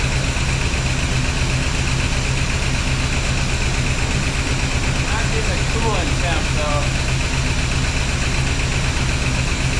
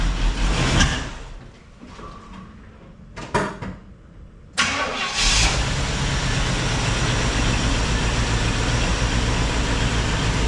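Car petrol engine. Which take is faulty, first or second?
second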